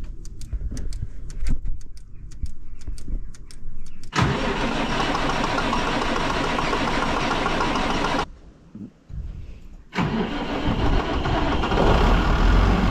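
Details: Massey Ferguson 6480 tractor diesel that sat idle two years after its injector pump fell off, started after the pump was refitted: steady cranking about four turns a second, catches, runs rough-even, stops, then restarts cleanly; normal diesel start.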